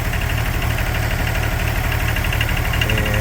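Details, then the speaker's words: Wacker Neuson 803 / Cat 300.9 mini excavator diesel bought as-is, warm after running a while, with a little blue smoke: heavy low idle with a loud fuel knock about twice a second and an uneven misfiring beat. Cause unknown. "then the knock comes. A loud fuel [Music] knock. I can hear it kind of misfiring."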